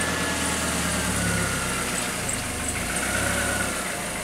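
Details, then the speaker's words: 1996 Mercury Mystique with about 248,000 miles, idling just after its original clutch was replaced, before the test drive: an even, steady idle with a soft, smooth beat and no knocks, misses or slipping noises. It purrs, healthy. "It purrs."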